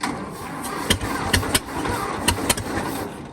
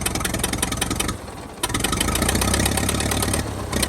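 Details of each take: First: 1922 International truck, sat 30+ years, being started after a stuck valve was freed with PB Blaster and heat; timing suspected off. Slow, labouring crank with a few irregular heavy turns and no catch; the starter is dragging. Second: 1922 International truck, sat 30+ years, now running with a dragging starter: after a few stumbles it settles into an even, steady lumpy idle with no knocking; not yet warm. Runs fine, though it is spitting oil from the oil pan.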